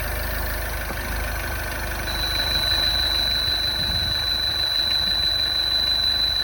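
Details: MINI Crossover R60 idling: a fast light ticking about three times a second plus a thin high whistle. Abnormal engine noise, cause still under investigation.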